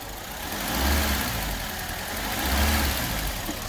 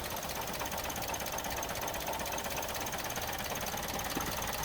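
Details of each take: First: Suzuki Swift after injector seal job, fuel rail refitted and mass airflow sensor plugged back in; idles with a couple of slow gentle swells and no intake hissing: vacuum leak sealed, normal idle, running better. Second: Suzuki Swift restarted while investigating a rattling part thought to contain a spring, suspected to be an EGR-type emissions device: thin, uneven running with irregular stumbles and ticking over a faint hum; misfire.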